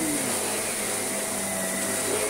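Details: Shark vacuum from a joblot: a steady, even high-pitched motor roar with a constant airy hiss and no rattles or surging. Running normally.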